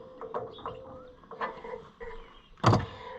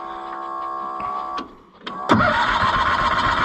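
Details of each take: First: Cushman Truckster auction find being revived: electric fuel pump switched on, with steady midrange hum and light ticking under some clatter as fuel comes through the bypass hose. Pump operating normally. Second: Cushman Truckster auction find being revived: catches after a few cranks and settles into a busy, slightly uneven run. It only keeps running with the choke fully in, which the owner sees as partly the problem, suggesting it is starving for fuel.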